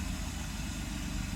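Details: Mercedes S600 W140 V12 at cold idle, right after starter repair: smooth, even low rumble with steady firing beat and no knocks or misses; healthy.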